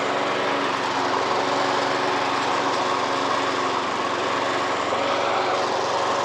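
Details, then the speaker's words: Old lawn mower in a shed, just started, with a sticky self-drive needing adjustment. Steady small-engine putter with a wet bubbling burble in the exhaust as excess oil burns off. Oil burning off after start. "So there we go, we've just got to burn that oil off. I can hear it bubbling in that exhaust actually."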